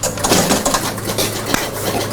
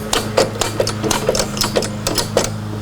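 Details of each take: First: 1977 Gottlieb Bronco electromechanical pinball, after work on AX and BX relays, gives quick irregular relay clacks and stepping clicks through the cabinet on credit and start; normal reset sequence running, though score reels seem gummed up. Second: 1977 Gottlieb Bronco electromechanical pinball during restore, credit unit advanced manually: sharp mechanical clacks about three to four per second, slightly uneven, as the gummed-up credit unit steps along; sticky credit unit.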